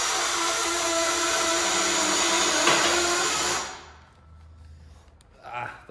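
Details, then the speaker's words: Twin Busch car lift after two years of use, raising a heavy Audi ABT RSQ8-R: motor drones under load with steady squealing, then cuts off; quieter with a Porsche; persists although all boxes were regreased, cause unknown. "hört sich nicht gut mit aber ja die bühne funktioniert diese geräusche macht die auch wenn du ein porsche drauf hast zwar nicht ganz so extrem aber macht die dann auch"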